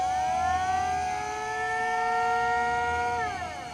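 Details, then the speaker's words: Ranch livestock calling siren: a wailing tone holds steady, then slides down in pitch as the crank slows. Runs normally. "Didn't you buy a new siren like 2 years? Oh. No, that's a calling siren. But it's a siren."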